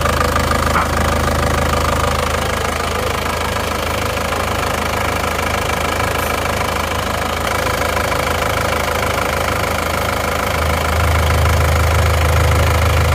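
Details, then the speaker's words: Isuzu Panther diesel just after overhaul (two liners replaced and flipped, new piston rings), just started and still cold, some smoke from assembly oil: even idle with usual light clatter at a steady beat, nothing rough; sounds excellent. "suara mesinnya istimewa"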